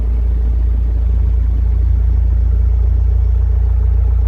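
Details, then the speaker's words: Skid steer diesel just cold-started on an icy day with low fuel, left running to warm the hydraulics; steady, even low idle rumble with no knocks or misses: normal cold idle. "Not half bad. Not half bad. Alright. Let that thing run for a little bit and hydraulics once it heats up."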